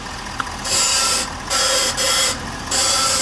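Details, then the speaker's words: 2023 Ford F-450 Super Duty at 50,000 miles: harsh scraping grind in half-second bursts as the wheel is turned and returns to center, loudest on the driver's side front end; sounds like the power steering pump but suspected not to be; cause unconfirmed. "But what we also notice is when it's making the noise, it is also when the steering wheel returns to center. So something is really going on, and that's actually not the power steering pump itself, although it did kind of sound like it was a power steering pump."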